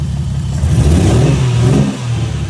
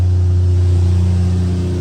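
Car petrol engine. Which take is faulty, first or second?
first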